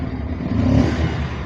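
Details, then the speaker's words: Bajaj Pulsar 150 BS6 with no idle, poor pickup and stalling: when revved, the engine starts to climb, then sags into a labouring rumble and bogs down. The fault is a bad throttle body sensor. "Start பண்ணி race பண்ணால் பார்த்தீங்கன்னா அவ்வளோதான். இது மாதிரி வண்டி வந்து அமுங்குது."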